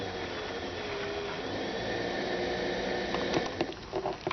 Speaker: You can see the current is changing because there's a lot of air trapped. And when there's air in the pump, the current is lower and the speed is higher.